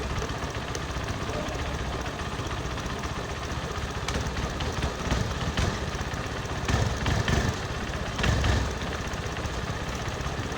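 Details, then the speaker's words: Honda Verza 150 idling: loose rattle inside the clutch housing that comes and goes in short bursts as the clutch lever is worked; suspected hardened, worn clutch housing rubber dampers. "Nah, itu tadi ya suara yang di-ok dalam bak kopling itu untuk prediksi sementara itu ada di bagian karet dos koplingnya yang sudah mengeras dan juga oblak ya teman-teman."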